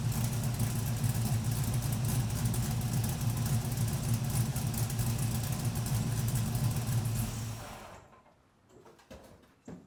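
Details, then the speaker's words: LS-swapped Camaro on first start after new oil pump, fixed pickup tube, new fuel tank and finished exhaust: deep even V8 rumble with crisp throttle blips and clean shutdown; sounds healthy but oil pressure still low. "Alright, I definitely like it, so that's probably gonna stay for now. Alright, it does sound good, but unfortunately it's still kind of low on oil pressure."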